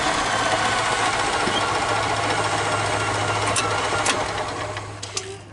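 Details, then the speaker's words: 1995 EZGO Workhorse golf cart engine after sitting all winter, starting and idling with a steady, even low hum and no misses or knocks after the old fuel line and paper fuel filter were replaced and the fuel pump primed. "let's see if this puppy will start up so it seems to be running"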